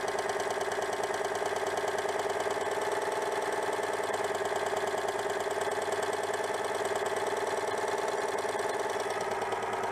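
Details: Citroën 2CV with ignition problem, breaker points somewhat worn: steady even twin-cylinder idle chatter with no misses, confirming the fault was ignition-related.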